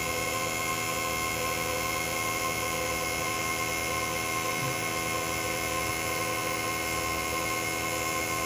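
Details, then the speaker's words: Bench test of injectors for a 2017 Honda CBR1000RR, run at 10,000 rpm equivalent (5,000 cycles/min), duty cycle believed 25%: steady rapid buzzing with a sharp high tone and no engine noise, the normal injector clicking usually masked by engine clatter. "And you can hear how noisy the injectors are. If it weren't for all the other banging and clanging of an engine, you can actually hear these."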